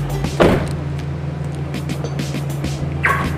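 Two short rising chirps about three seconds apart over a quiet idle; the lock confirmation sound is working as it should.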